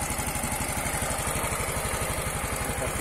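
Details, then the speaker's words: Yamaha Mio M3 125 scooter at idle after cylinder block, piston and head replacement (it had run rough and smoked from running out of oil): crisp, regular single-cylinder putter, smooth, with the earlier scraping noise gone. "Hai sudah halus suaranya sudah tidak ada suara kemresek"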